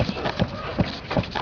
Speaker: вот тут изношена фторопластовая скачет это надо снимать рейку и менять вот здесь вот втулку менять в рейке это будет издавать двойной двойной крючок в машине